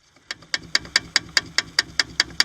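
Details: Chevy Astro brakes with pads replaced three weeks earlier: crisp metallic clicks about five a second as the loose pad shakes on its pin, pad hole a quarter inch larger than the pin, on both sides; brake pad rattle.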